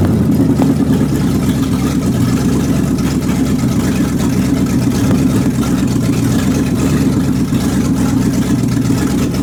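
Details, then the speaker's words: Warm 360 engine with thermostat open and no fan, water circulating: steady mid-pitch run with a slightly lumpy beat, a miss; owner suspects the carburetor gasket and funky vacuum lines, not confirmed. "so it all run good still got a Miss in it I'm pretty sure that that carburetor gasket and all those funky vacuum lines I got"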